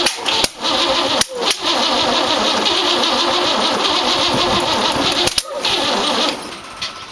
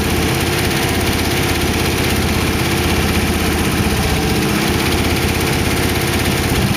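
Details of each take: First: 1914 Dodge T-bucket roadster on first start attempt: starter churns steadily with no catch, because plug wires were set in clockwise Ford firing order while this distributor turns counterclockwise, Chevrolet style. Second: 1914 Dodge T-bucket roadster V8 with carburetors, warmed up after first start: steady, even idle with a smooth low thrum and no ticking or knocking. Good oil pressure; the startup lifter tick had calmed down. Sounds good.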